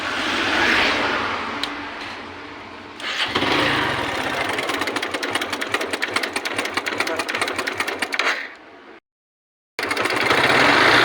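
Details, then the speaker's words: Hero Glamour motorcycle engine running with fast, regular metallic chatter loudest up top; timing chain has gone slack because the chain tensioner failed, tensioner to be replaced with a new one. "দেখতে পাচ্ছেন আপনারা দেখতে পাচ্ছেন টেনশনারটি নষ্ট হয়ে গেছে, যার কারণে টাইমিং চেনটা ঢিলে গেছে।"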